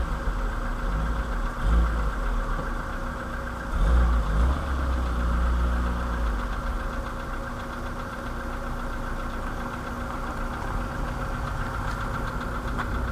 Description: Стук поршневой двигателя CFNA. VW Polo седан 2013 г.в. 192000км